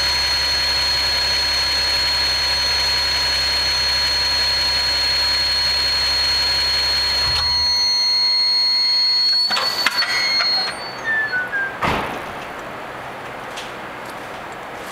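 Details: Nissan 370Z with Takeda short ram intake: engine runs with a loud steady high whistling tone that cuts off abruptly, leaving scattered clunks; odd intake noise of unknown origin.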